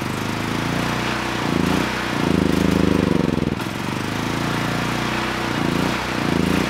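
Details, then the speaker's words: Honeywell HW5500 5500 W generator, 337cc engine, new Hipa carburetor fitted, running only on choke. The engine note swells and sags every second or two and stalls if the choke is even half off. "yeah doing the easy thing may have just bit me because it's only running on choke if i go to turn the choke off even halfway the engine wants to stall"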